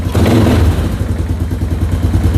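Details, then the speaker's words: Restored Yamaha Moto 4 single-cylinder, running cold without choke, aftermarket Suzuki-marked pipe, put in gear to test brakes: steady low even thumping without stumbling. Healthy normal cold running. "It's cold, and look at this, no choke. It's got a bit of a pipe on there too, I'm pretty sure."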